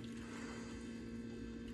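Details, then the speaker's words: Land Rover Defender TD5 diesel after a fuel filter change: quiet, steady electric whirr of the fuel pump with faint gurgling as it primes the circuit and pushes air out, running about 30 seconds, a couple of times; normal fuel pump priming. "and what that's doing is you can hear it's actually priming this for us so you can hear the pumper in probably hear the air running as well so what it's doing is putting it through the through the circuit priming it back up"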